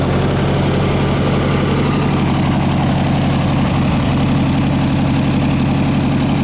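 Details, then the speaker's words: 1967 VW air-cooled flat-four (ragtop), long-stored, on old stale fuel with fan housing off; fast even chug about four beats a second, no knocks or misses. Healthy running. "good thing I put the fan on took the fan housing off huh you can get much more in there yeah motor runs good now"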